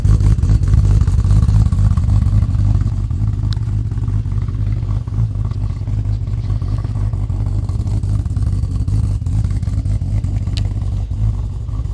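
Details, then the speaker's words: Freshly built 1000 HP-rated Ford Barra G6ET engine on a cold first start, on E85, untuned with cams not dialed in: loud, uneven, lumpy fast idle that wanders and stumbles; rough running because it needs a tune, no more knocking or ticking. "well there you go guys she's running she's not running well but she's running she needs a tune desperately"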